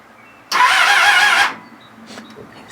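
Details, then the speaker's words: Newly bought Kawasaki ZXR250 (ZX2R) motorcycle, oil light on, kill switch on: about a second of fast starter whirring turning the engine, then silence, never fires; engine does turn, cause unconfirmed. "let me walk you through what's wrong with this because there's a lot first of all it's the engine itself as you heard the engine actually does turn"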